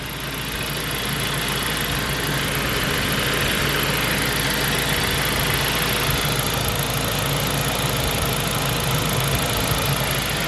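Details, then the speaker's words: Saab 9-5 turbo petrol after fixing heavy oil consumption (about 1 L/100 km) by repairing the PCV system: steady, even idle with a smooth exhaust burble and no knocks or misses, so the engine runs well. "Oh, it says it runs fine. It's very nice actually. Runs so nice this car. It's amazing how well it runs."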